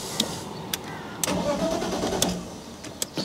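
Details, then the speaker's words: BMW E46 coupe with the M54 engine, just after the codes were cleared (a suspected air leak is still untraced): the starter churns about a second before it catches and idles. It doesn't start instantly, with no clear cause. "also it doesn't start instantly which is weird for a gasoline powered car"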